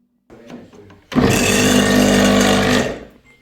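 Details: Kärcher K7.650 pressure washer after replacing failed run capacitor (old read 5 µF of 40 µF rating, new 43 µF), previously hummed without starting: motor switches on, runs under two seconds with steady even buzz and clean spin-down; runs properly.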